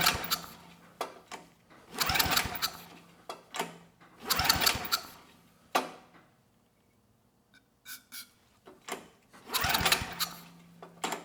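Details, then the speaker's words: Early-mid 1980s Fairbanks Ward 2500 W generator, 5 HP Kawasaki FA210D flathead, old fuel left in tank, starting fluid tried: three short cranking bursts with handling clatter, no firing; cranks but won't start, spark later found strong. "Nothing. We got nothing from the engine, so I'm going to double check the spark real quick."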